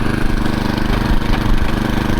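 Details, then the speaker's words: TroyBilt 18-inch Mustang tiller after replacing the broken drivebelt with an A57 belt, in forward gear: small engine holds a steady, even chug under light load with no slipping squeal or knocks; drive sounds healthy. "Okay, we got in forward gear."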